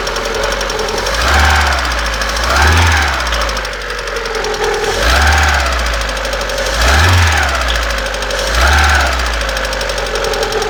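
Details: Engine blipped every couple of seconds; a hard rapping knock swells with each rev near the exhaust manifold; owner asks what it could be, source unclear.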